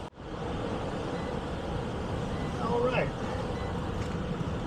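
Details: Ancient heat pump air handler after blower capacitor replacement: steady whoosh and low hum after start-up with no hum-and-stall; door open so free-running, drawing 1.5 A against 2.63 A full load; blower motor running normally.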